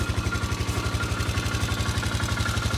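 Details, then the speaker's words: Polaris Ranger 500 4x4 after top-end rebuild, first run, no coolant yet, carburetor leaking again: steady even thump about nine pulses a second, no knocks or ticks; smooth healthy idle. "Don't see any smoke at the moment. Looks pretty good, sounds good."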